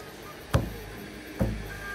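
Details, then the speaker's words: Two dull low thumps about a second apart, dying away quickly, as an Elegoo Neptune 4 Max 3D printer belt is plucked; reasonably tensioned. "you want to hear that thump you know that's probably pretty good"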